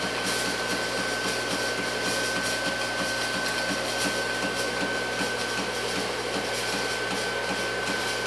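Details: Antari Z-350 haze machine running with a steady fan hum and a thin tone, broken by rapid, regular clicks. The owner is unsure whether this is normal.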